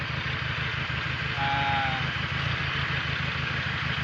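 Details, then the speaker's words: Mitsubishi Galant 4G63 EFI engine: a lumpy, uneven idle with a stumbling low beat; a misfire from a dead cylinder number four, found by pulling plug wires one at a time, with the number four spark plug suspected. "Patay yung number four. Yung number four na spark plug kundi so malalaman natin yan kapagka pinagsabay natin."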